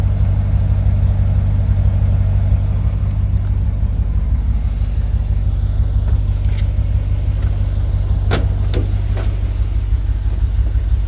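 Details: 1966 Chevrolet C10 after fuel tank cleaning, new fuel pump and hard line to carburetor, carb not yet rebuilt: deep, steady, even idle with a strong low rumble and no misses or knocks.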